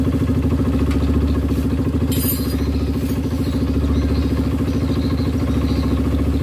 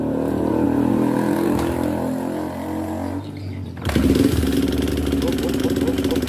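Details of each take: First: Honda CRF150 after a new rebore, test run after clearing an oil passage blocked by the gasket: a steady single-cylinder idle with an even beat about three per second and no top-end rattle or clatter. Oil flows freely and the engine sounds healthy. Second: Honda CRF150 just rebored, idling with busy, uneven metallic top-end ticking that grows louder with throttle blips.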